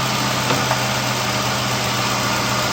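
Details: Infiniti M45 after engine swap, warming idle: steady, smooth low hum with no knocks or misses; exhaust manifold burning off residue smoke, some plastic smell; engine sounds healthy.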